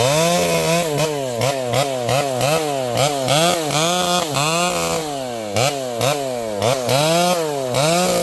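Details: Vintage chainsaw with a governed carb cutting a leaning tree: pitch swings up and down in quick, even surges as it bites and clears the cut. The saw is strong and healthy under load.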